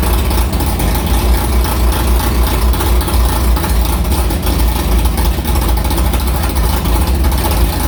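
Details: Carbureted V8 hot rod after the Prosystems carb's idle air bleeds went from .070 to .055 following a track carb issue, ~80°F day, started quickly; deep, loping idle with even beat, no stumble or misfire, a normal idle.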